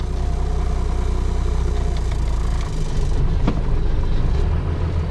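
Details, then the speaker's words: 1996 12-valve Cummins diesel in drive, idle dropping from about 500 to about 200 rpm; deep, lumpy, uneven thrum sagging low, barely running; idle speed set too low, suspected cause of hard starting, needs raising. "See, that's really bad. Like I put it into drive and it dropped from 500 to like 200 RPM. That's really bad."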